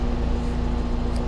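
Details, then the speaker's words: New 2016 Trane XR air conditioner outdoor condenser, replaced noisy Carrier Tech2000, just started: steady even low hum, constant tone, no rattles or knocks; runs smoothly and much quieter. "is so much quieter than the old carrier I remember the old carrier had like noise problems"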